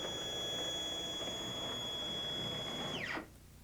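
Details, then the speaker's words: Stepcraft 2 840 desktop CNC, NEMA 17 stepper motors, at 100% jog speed: clean, steady high whine holding one pitch through the travel, then dropping away as the axis stops. Normal stepper operation. "If you've never run your machine before, this is what it should sound like at 100% jog speed."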